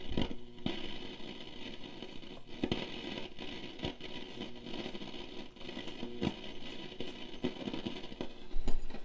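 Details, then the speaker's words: 1946 Stewart Warner Model 62TC16 radio after repairs, loop antenna, tuned near 75: irregular sharp crackles and pops over faint hiss, reception cutting in and out; suspected connection issue, possibly antenna wires lying nearby. "that's some sort of connection issue could be some of these antenna wires laying around here"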